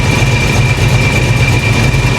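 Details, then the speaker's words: 1987 Chevy Monte Carlo SS V8 (about 480 hp) after the water-pump work, at warm idle with fresh belts: deep, even burble with a faint steady whine, no knock or squeal; it runs great, with no fuel leaks seen. "it's running great I don't see any fuel leaking"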